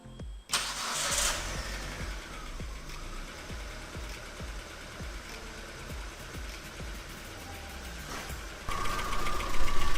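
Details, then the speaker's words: Proton Saga BLM engine started after crankcase (oil pan) removal and oil refill: short crank, then a steady even idle with no knocks or rattles; normal start and idle, no leaks at the gasket. "Sekarang kita mau coba hidupkan atau on kan start engine. Semoga tidak ada masalah kawan ya."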